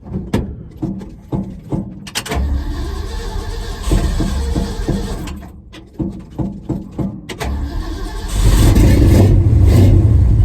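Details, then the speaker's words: 1974 Ford F-250 just after new mufflers were fitted, one side mocked up and not fully bolted. It cranks in bursts, catches and settles to a deep even rumble, then revs cleanly with no rattles or leaks. Normal, healthy exhaust note. "That's the sound I was looking for. It's still got a good sound to it. Still got a nice tone, but it's not so overbearing where I'm not going to be able to get it past with the DMV."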